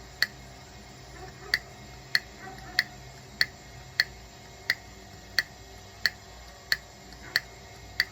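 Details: 2013 Nissan Sentra SV transmission valve body removed, solenoid bench-powered by wire: crisp, even ticks about every two-thirds of a second; solenoid clicking and actuating normally.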